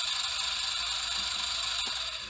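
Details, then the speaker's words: BMW S85 throttle actuator DC motor bench-tested at 12 volts: small motor at steady speed with high raspy whir and rough edge, carbon dust inside; worn, binding motor bearing suspected. "doesn't sound very happy and that's just with 12 bolts being applied and you can hear it move captain"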